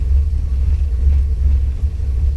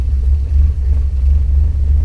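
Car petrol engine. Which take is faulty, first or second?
second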